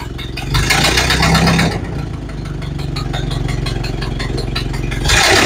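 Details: Model A Ford restarted after new parts were fitted: rough idle with a sharp puffing tick at each firing stroke, about four a second, louder than normal from a leaking exhaust.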